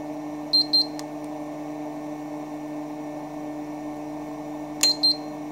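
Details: ELTEK EVD-MIN 1kVA UPS cold-started on battery with utility power disconnected (unit has error 09/bypass fault when on utility): two short high beeps, then two more about four seconds later over a steady low hum; normal cold-start beeps.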